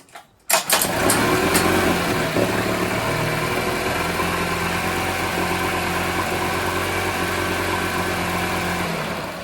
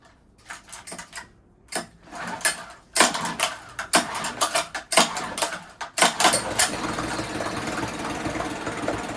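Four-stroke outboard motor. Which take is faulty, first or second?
second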